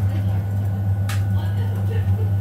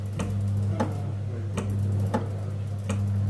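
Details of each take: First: Biasi M90E 28S gas boiler after replacing the faulty ignition PCB: burner lit, with a steady even low hum and no misfire or flutter; normal burner operation after repair. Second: Biasi M90E 28S gas boiler switching on and off: steady low hum with a sharp tick about every second as the fan cuts in and out; relay stuck on the ignition PCB.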